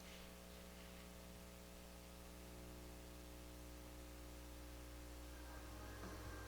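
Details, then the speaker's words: 1960s Harman Kardon F10 Tempo tube FM tuner with new tubes, amp volume at maximum: a loud constant buzzy mains hum under faint static. Owner suspects a cap; it has a selenium rectifier. "i think it probably needs a new cap but uh yeah it's got quite a bit of hum it's got a selenium rectifier here"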